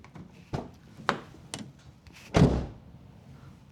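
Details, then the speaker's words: 2010 Mazda 3 front door with the microphone removed, before sound-deadening: several dull thuds as it shuts, a hard slam ringing hollow and drum-like; owner says this is common on this Mazda 3 generation, exact cause unknown. "These doors have a sort of empty hollow sound when you close them really hard. My understanding is that's really common with this generation of Mazdas, at least the Mazda 3."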